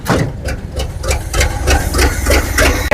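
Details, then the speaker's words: 1970 GMC 2500 3/4-ton truck revived after sitting, choke opening, oil added to a cylinder: loud, lumpy chuffing about three beats a second with uneven thumps like an old tractor; rough running, owner suspects exhaust or vacuum leaks. "Well, it sounds like an old tractor, but still run. The louder could just be exhaust or maybe a few vacuum leaks like that one."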